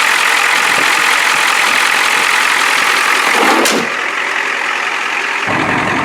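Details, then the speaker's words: 1993 Ford F-250 7.3 IDI non-turbo diesel, 242,824 miles, with a makeshift modified muffler: strong, even clatter at part throttle, not floored, dropping smoothly toward idle without stumbling or rattles; healthy. "I don't want to floor it too much, but look at that. beauty."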